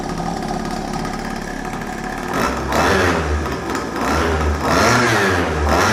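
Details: First start of a Chinese pocket/mini bike two-stroke, Dellorto SHA 15mm carb, on old oil-rich fuel mix: quiet start, then a crisp buzzy bark rising and falling with throttle blips, some smoke; revs freely and sounds healthy.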